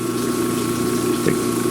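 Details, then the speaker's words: 1940s Peerless 1/2 HP single-phase 115/230 V, 60 Hz, 1750 RPM motor, unused for decades, running: steady even hum with constant low tone, no rubbing or knocking — normal running. "It's a heavy motor. This thing weighs a lot. We're going to let it run for a little while."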